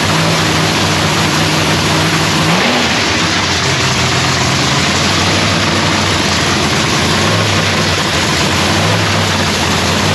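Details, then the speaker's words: Lexus race car's first start of the season in shop paint booth; loud, busy engine note catches and settles into a strong steady idle with a small blip, running clean and even; normal start and idle. "so anyways guys y'all got to hear the car fire up for the first time of the season it sounds beautiful"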